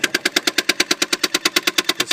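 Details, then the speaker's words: 1983 BMW 633CSi (E24): with ignition on and engine off, a small box in the engine bay clicks sharply and rapidly, about seven a second, moving the throttle cable; tapping the brake stops it; owner doesn't know what the box is. "urn the ca on I am hearing an extremely awful clicking noise"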